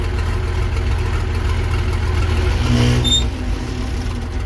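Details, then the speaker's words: Versatile 800 tractor diesel running with the old muffler removed: loud, raw, deep bark swelling briefly under load; unmuffled open exhaust. "But at least we get to hear it run again without the muffler on, right?"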